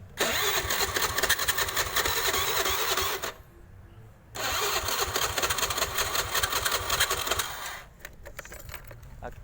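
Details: Honda Click scooter cranks on the electric starter with a fast churning rhythm but never fires, from a fouled spark plug; it first failed on the electric start but kick-started, then after 2-3 days would not start at all.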